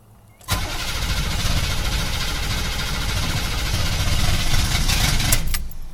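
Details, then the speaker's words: 6.2 diesel with a rough idle, fuel filter not yet replaced: fast, uneven chugging through long cranking. Pressing the gas pedal didn't help; it catches after several seconds with smoke. Hard start, owner suspects the fuel filter. "Alright, first crank. It's gonna be fine. Nope. I even put my foot on the gas to try and help it. Did not work. Now we gotta start cranking away again."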